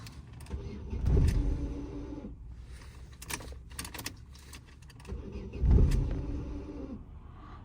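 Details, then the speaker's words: 2009 Opel Astra G sedan (engine swapped from Z16XEP, reportedly X16XEL), no start after battery drain: after programming it fires and briefly surges but stalls, idle unhappy; resetting adaptations to factory settings fixed it. "і гохне чомусь щось ї не подобається ну завелася працює холості оберти щось не подобаються їй"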